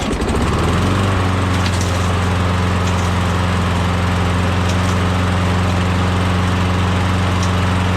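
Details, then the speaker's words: Briggs & Stratton Quantum replacement engine, to be swapped onto the mower, started and run: it catches within a second and settles into a steady, even drone with no stumbling or surging. It starts easily and runs normally. "[Applause] sounds good starts easy sounds good"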